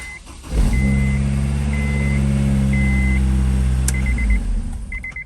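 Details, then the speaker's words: Car after starter replacement and cleaning of a dirty negative battery terminal: brief quick crank, then it catches and settles into a steady smooth idle with a warning chime beeping; the new starter sounds like brand new, a normal start. "all right the new starters in let's see if it sounds any better when it starts sounds like brand new let's try that one more time"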